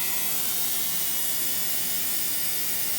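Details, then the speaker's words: Ultrasonic cleaner tank cleaning the wood mill engine's carburetor, a 60-minute cycle, with a steady high-pitched buzz and hiss while a white cloud of debris blows out of the jet and bowl; normal operation. "um you can hear it buzzing foreign end of where that jet is you can see like that white almost like a cloud coming out"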